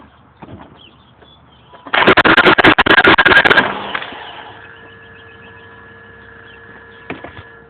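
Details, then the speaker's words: BMW E39 with cylinder 3 misfire code and oil pooled in cylinder 2, turning the key: harsh rapid rattling crank under two seconds, quits without the engine catching; owner suspects a failing starter, starts intermittently. "now that doesn't sound good uh I really don't know what to say about that is that my starter going bad"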